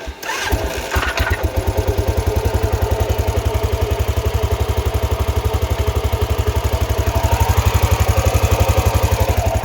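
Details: 2000 Arctic Cat 500 4x4 ATV, Suzuki 500cc single with a used replacement crank, idling in neutral after the rebuild with the transmission broken; fires and settles into a steady thump about four beats a second, no bottom-end knock; the bottom end is sound.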